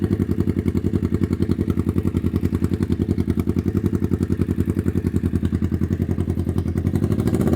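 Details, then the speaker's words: 1991 Kawasaki EN500 Vulcan, carb fully rebuilt with new jets, mix screw and diaphragms, petcock and tank cleaned: idles nicely but rough lumpy pulsing about 3.5 beats a second, stumbles and bogs when throttle added; cause unclear, rich, lean or air leak suspected. "I turn it on, it will idle nicely. Um, and if I give it a little bit of throttle, it just starts to bog and stop."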